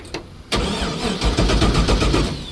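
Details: Abandoned LS1 V8 speedway car first start attempt, jump-started from another car: starter turns engine over in steady strokes with no firing; fuel pumps not running, only 8.5 volts, suspected short; needs two fuel pumps.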